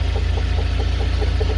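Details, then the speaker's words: UAZ engine at idle with a newly appeared regular knock about five times a second over the deep engine rumble, heard more from the driver's side; cause unknown. "появился вот такой стук"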